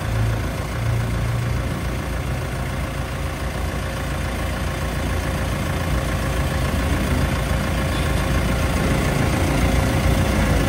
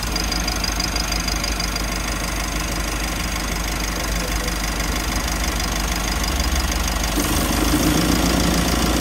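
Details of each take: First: Mitsubishi L300 FB van after fixing a noisy, leaking AC compressor and fitting a larger condenser: steady, even engine idle with AC compressor running smoothly, no knocking, grinding or squeal; normal. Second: Mitsubishi L300 FB van idling with AC on knocks and rattles about three times a second; the compressor strains from excessive high-side pressure, the condenser being too small for the replacement compressor, and it gets noisy after running a long time.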